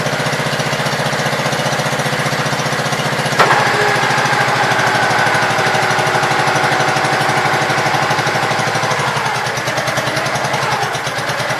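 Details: Gravely Pro 12 single-cylinder, choke on, just above idle: runs steadily with even quick firing beat; deck not turning easily; engine healthy.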